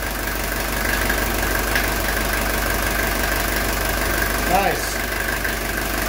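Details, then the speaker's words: 1982 Mercedes 240D diesel after a valve adjustment, with the idle raised by shortening the throttle linkage. Steady, even diesel clatter at idle with a regular beat, no stumbling and no engine vibration. Smooth, healthy idle. "so look how smooth that's idling you guys see there's no not even a vibration on the engine"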